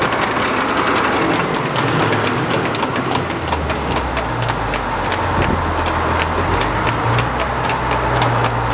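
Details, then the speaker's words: Frick top saw #1758 sawmill, engine running steady: sharp clip-clip clips about twice a second, like hoofbeats, as the flat belt tracks off and hits one side; owner notes vibration and suspects something may be out of balance. "I hate to put my head over this. Yeah, it's hitting on that side."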